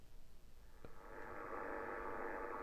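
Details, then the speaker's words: HF receiver on 80m: hiss jumps to a loud, steady rushing noise at S9 that repeats in evenly spaced peaks, like QRM once traced to a trickle-charge battery charger; this new source is suspected to be similar. "this is what it sounds like and it just repeats and repeats and repeats and S9 of noise"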